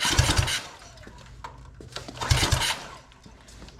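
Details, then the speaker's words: Free mini bike engine, ignition on, tried with and without choke: short pull-cord cranking bursts that die away without firing; cranks but won't start, cause unknown (fuel or spark). "little it is not wanting to fire at all and we can even try the other Position will not fire"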